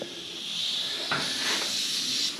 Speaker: Open the vent up. If you can hear it hissing, you know the water is working through.